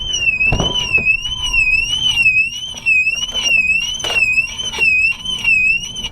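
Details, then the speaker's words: Salvage-auction car: its security alarm is triggered while trying to pop the hood, a loud high electronic wail sweeping up and down about twice a second, showing the battery is still good. "That hurt my ear, man. My left ear is ringing. Well, it means the battery's still good."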